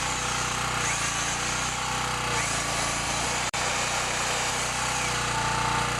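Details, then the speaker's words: Small single-cylinder generator test run after starter rope replacement, already started once, before warm-up and oil change; steady even buzz with no knocks or misses, running smoothly and healthy. "so I'm just going to give this little generator a test run I've already had it started so it should start right"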